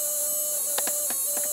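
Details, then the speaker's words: Automotive relay pulse charger fed 12 volts from wall supply, recharging a ~1997 Polaroid Polar Pulse flat alkaline battery at 5.9 volts: steady high-pitched relay buzz, faint hum, light clicks; working normally. "giving it a full 12 volts I'm going to plug that in now the relay is working can hear it"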